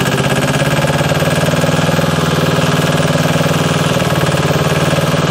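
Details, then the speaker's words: JLG 40H diesel man lift, right after its fuel system was bled, cold before servicing: starts straight off into a steady, even diesel clatter at fast idle, firing smooth with no misses; normal diesel idle. "look at that like the moment that we got the fuel system to bleed this thing just takes right off that's awesome I was not planning on it actually starting yet"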